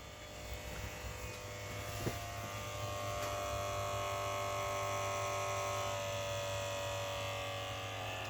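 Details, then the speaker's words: 1989 Jaguar XJ-S V12 Teves ABS pump charging a depleted accumulator: an electric buzz that drops in pitch as pressure builds and the pump meets resistance, then stops at the pressure switch cutoff. Normal ABS pump charging. "hear the pitch change and lower. That's as the pressure builds in the system and the pump's faced with resistance. It's getting slightly lower in pitch."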